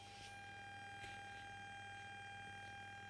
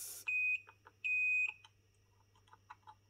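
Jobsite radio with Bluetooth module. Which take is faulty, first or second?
first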